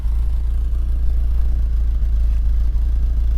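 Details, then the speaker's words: 1984 Volvo 760 Turbo warm idle after injection work, heard at the exhaust: mostly steady drone with occasional misfires, much better than before; mixture (CO) may still need adjusting. "c'est assez régulier mais il y a quelques ratés quand même on entend au ralenti voilà ça crapote un peu mais c'est quand même bien mieux que la dernière fois"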